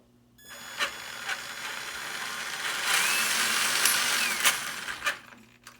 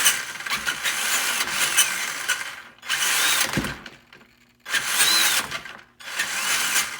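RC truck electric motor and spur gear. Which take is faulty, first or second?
first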